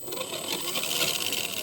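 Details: Red Cat Racing Everest Gen 7 Pro RC crawler motor, retested after lubricating to fix a squeak, lube flinging off: light, even high-pitched whir with no squeal or scraping. Motor spins freely; normal motor run.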